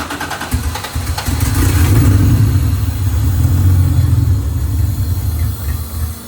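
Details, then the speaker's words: J35 RFR two-seat sandrail that wouldn't run, cranked on sprayed starting fluid only. It catches and runs roughly for a few seconds, then sags and dies, showing no fuel delivery. "So now we just fixed the fuel delivery issue, figure out what's going on there, and this thing may run and drive."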